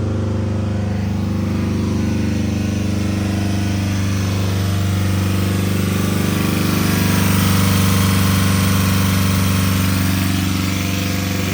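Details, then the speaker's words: Honda engine run with chocolate milk in place of oil, held at about 3,000 rpm: loud, rough, clanky clatter, no smoke yet, bearings possibly getting tight; knock from lack of lubrication. "Yeah. Sounds pretty loud up there. A little bit, it's clanky."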